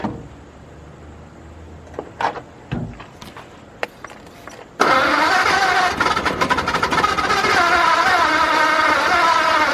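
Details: 1953 Ford project truck, first start of a newly installed engine after setting number one cylinder to top dead center with the head off. A few clicks and short bursts, then it fires and keeps running slightly unevenly. Engine start and run.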